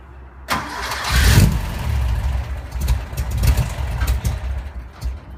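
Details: 1973 Porsche 914 2.0 after oil change, valve adjustment and new spark plugs: short crank, catches with a burst, settles into uneven hunting idle; hard starting, cause unknown.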